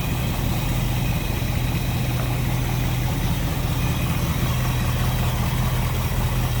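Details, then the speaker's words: 1955 Ford Fairlane Crown Victoria V8 with Edelbrock carb and front pusher fan, idling, heard at the front with hood open then at the rear; deep even rumble, steady pulse, no misses or ticks; normal healthy idle. "good. Slip around to the back, maybe hear it a little bit better now. Like I said, no crazy exhaust, just a nice little deep throaty exhaust note."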